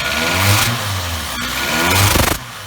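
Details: Toyota Yaris petrol engine revved twice with a harsh, buzzy exhaust rattle; OBD showed P0420 (catalyst efficiency low), converter breaking up inside; failed catalytic converter, removed afterwards.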